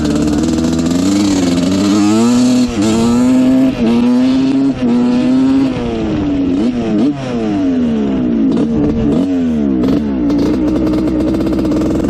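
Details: 1986/87 Honda CR125 two-stroke after carb rework, needle raised one notch: screams up and down through the revs cleanly with crisp response, no bog or break-up; pilot jet was the cause of the bog.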